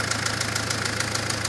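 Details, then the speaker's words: Citroën Berlingo diesel at idle, just after oil change (previous about three years earlier): sharp metallic tapping about seven times a second, louder than normal clatter, absent before the change; cause unknown. "Nie było tego przed wymianą oleju klepie co ostatnia próba Citroena dobra Ładnie se klekocze"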